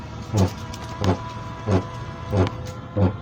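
Harsh gritty burst repeating about once every two-thirds of a second over a low hum; a rotating part is grinding, cause unclear.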